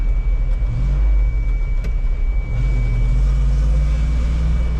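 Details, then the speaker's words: Farm vehicle runs with a steady, even low rumble, revs rising slightly partway, with no knocks or misses; it runs like a top and is healthy. "Runs like a top. Yep. I bet you'd have a hard time finding one that runs better than this."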